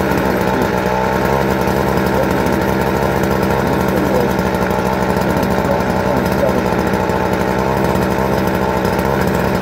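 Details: 2017 Stihl FC56C edger: small two-stroke holds a steady, even buzz with no misses or surging throughout. Running healthy.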